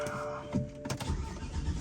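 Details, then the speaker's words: Supercharged Dinan BMW E93 M3 V8 on E85, first start after valve cover gasket replacement to chase misfire, not started for a long while; cranks, stumbles, catches into lumpy low idle, cause unconfirmed. "right uh-oh it's not liking it too much there we go that's cuz I'm on E85 and it's been a good while since I started it up"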